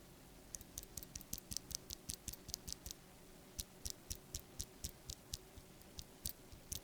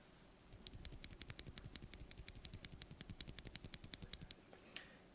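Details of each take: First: Stock Wooting Flaretech switch before lubing and filming: rapid sharp keystroke clicks, each with a thin metallic ring from unlubricated spring ping, plus top housing wobble and rattle. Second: Wooting Flaretech switch after spring lubing and switch filming: rapid, crisp taps about eight a second, with spring ping and housing rattle basically gone compared with stock.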